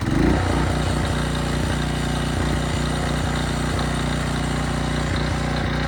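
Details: Craftsman brush mower (probably early-to-mid 2000s) after 3 years unused and carburetor rebuild, air filter, spark plug, oil and strings: single-cylinder pulls steadily through grass, firing rhythm even, holding speed under load; strong and healthy.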